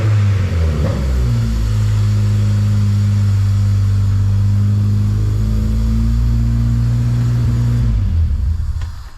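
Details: Miata (oil leaks fixed) restarted on a jump battery, awaiting tune: engine catches after a second and settles into a steady, even run with no popping or misfire, then fades out; running healthy.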